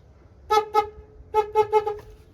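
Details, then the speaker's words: 2000 Toyota Avalon, 322,000 miles: low horn tested alone with the high horn disconnected. Six short, clear blasts on a steady mid-pitched tone, each cutting off cleanly; low horn works. "so now I know this one works low horn Works everything is secure there connected"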